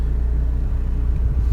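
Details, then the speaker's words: 2005 Ford Focus Duratec four-cylinder idling after worn, cracked engine mounts and dog-bone transmission mount were replaced; deep, steady, even rumble, no knocks or shudder, louder than most engines but now normal and smooth without vibration. "these duratec engines that they're really good motors but they're for bangers they're gonna be loud louder than most mortars but but this now is normal"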